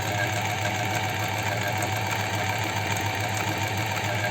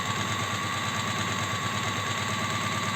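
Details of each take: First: Astralux M10 sewing machine, brought in because its motor hummed but it would not sew. After repair and thread-tension adjustment it runs with a fast, even whirring hum and a steady needle beat, no knocking or grinding, then stops cleanly; normal running. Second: Astralux M10 sewing machine whose mechanism had never been lubricated, running in after oiling. A steady, busy clatter at about three beats per second, still slightly rough and dry, but softer and no longer squeaking, with enough power at low speed now.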